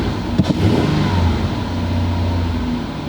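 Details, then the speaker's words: Petrol engine after a new spark plug and ignition coil for a misfire revving up smoothly and settling with an even pull, no stumble; scanner shows no new or pending codes. Normal revving. "sounds good now let's check our OBD2 scanner and see if we have any new codes no new codes"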